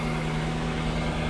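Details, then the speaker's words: 1998 Jaguar XKR supercharged at idle, supercharger belt still on, briefly run to confirm diagnosis: even, steady hum with no squeal or chatter; engine healthy, fault was a bad tensioner and bad belt, both to be replaced. "running nice and quiet so nothing wrong with the engine just a bad tensioner and a bad belt the rest of it is sounding nicely and running as it should"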